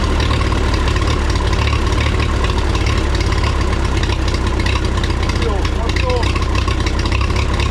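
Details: 1954 Minneapolis Moline UBU tractor after new plugs, wires, cap, rotor, points, condenser, carburetor clean and timing adjustment: low, steady chugging idle, even beat, no knocks or misses; runs smoothly, though slight hesitation and smoke noted elsewhere.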